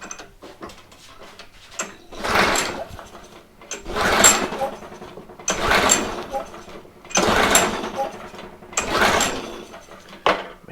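Five or six separate recoil pulls about two seconds apart, each a brief spin with no firing or catch; the engine won't start, pointing to a carburetor fault.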